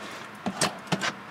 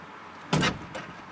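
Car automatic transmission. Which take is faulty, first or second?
second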